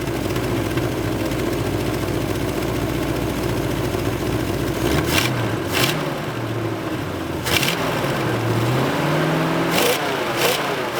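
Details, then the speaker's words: 1970 Ford Mustang V8, warming up at idle, temperatures 116 at the thermostat, 108 at the radiator, about 190 at the engine; uneven running with short sharp hissing spurts as hot coolant spews; owner suspects the radiator hose setup and incomplete filling. "Something's spewing. Uh-oh. Yeah, she's hot."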